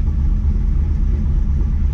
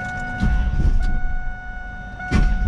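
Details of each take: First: V8 car at about 75 degrees after new spark plugs and repair of a burnt-through plug wire, warming up: a deep, steady rumble with an even beat and no misfire stumble, now firing cleanly on all eight cylinders. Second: Car with newly changed mixed spark plugs and a burnt-through plug wire, broken down roadside after cooling off: starter cranks in uneven bursts but engine never catches; cranks, no start, cause unclear.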